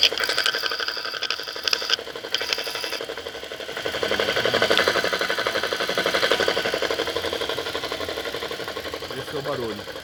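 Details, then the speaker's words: Intermittent fast, uneven ticking, roughly four a second, over the idling engine from the alternator side of a 2016 Toyota Corolla; happens cold or warm, comes and goes for hours; cause not pinned down. "porque o meu carro tá com barulho intermitente que vem do alternador e eu queria mostrar aqui esse barulho"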